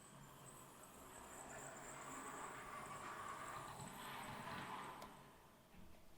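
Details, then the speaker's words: Accurascale Class 60 model locomotive, squeaking out of the box, after a first oiling and run back and forth: faint chirpy high squeal like budgies over the motor hum, only slightly quieter; dry drivetrain, possibly squeaking from multiple points, one end louder. "Okay, so it still sounds like a bunch of budgies. I think it's ever so slightly quieter. I think there may be multiple points these noises are coming from."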